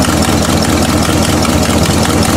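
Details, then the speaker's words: Old Buick V8 ("Bluick") after new distributor cap, coil wire set on top: heavy rapid pounding under loud rough idle, attributed to a bad exhaust manifold gasket; possibly also a bad lifter, unconfirmed; previous misfire and bouncing gone. "Now, and obviously the pounding you hear is all the stuff out of the bad gasket."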